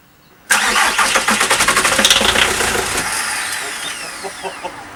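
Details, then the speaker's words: VW Transporter T4 with newly fitted engine: steady cranking about four compressions a second that never catches and fades; later traced to a sticky solenoid caused by the immobiliser after the locks and barrels were replaced. "After a few hours of research, I think I've found the source as to why it just keeps on cranking and cranking over. It was a sticky solenoid, courtesy of the immobiliser kitting,"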